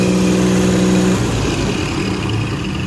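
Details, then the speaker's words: 4.3 engine after tightening to fix a knock: runs and revs evenly with no knock, only a faint steady power-steering whine on top. "you're hearing is the power steering. But anyways, no more noise. Runs great. Good to go."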